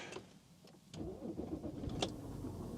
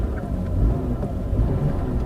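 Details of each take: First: Used luxury car, possibly with Multitronic gearbox, "service due" warning on; slight rattle for a couple of seconds on startup, timing chain or top end until oil reaches the top, then settles. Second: Sovereign Estate with a 3-litre V6, automatic and all-wheel drive, on a drive with no warning lights: a deep, even rumble at steady cruise with no knocks or misses; the engine is smooth and healthy.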